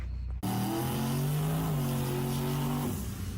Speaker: The instant Billy did his burnout, I knew he was in trouble. I could hear that the carburetor was way too rich on the primaries during the burnout, and we were going to have serious problems in the left lane.